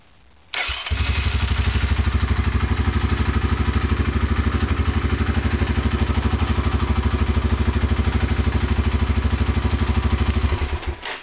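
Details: 1988 Honda Fourtrax TRX300 2x4 engine restarted: short crank, catches immediately, steady even thumping idle about three beats a second; healthy start, no smoke or leaks.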